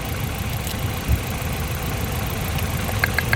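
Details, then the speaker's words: Nissan Silvia S13, CA18DET, misfiring and rough at idle: pulling a coil pack or spark plug lead makes the idle lumpier with dull thumps; misfire traced to cylinder three, and swapping the coil pack to cylinder four changed nothing. "so basically what happened there was we had misfire and cylinder number three which we found by taking out the coil pack"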